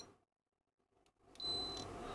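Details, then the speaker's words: Roberts R600 radio restoration, capacitor tester: one short high beep instead of the double beep a good capacitor gives; bad capacitor. "yeah just a ding not a double ding so it's a and a ding and a double ding right"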